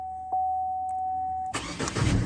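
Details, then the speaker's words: Truck with 204,000 miles, after fitting new battery cables to cure loose cables and weak cranking amps: a chime, a brief crank, then the engine catches almost instantly and settles into an even idle. A healthy quick start where it previously needed long cranking. "i barely touch it boom she fires up before i had to sit there and crank on it i didn't have enough cold cranking amps coming into the thing"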